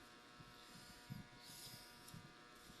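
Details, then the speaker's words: Electric fan after repair, re-splicing broken wires: steady, fairly quiet motor hum with a light even buzz and no rattle or scraping; fan runs normally and quietly. "Uy boy, umandar boy. Baba, tahimik na. Umandar na siya."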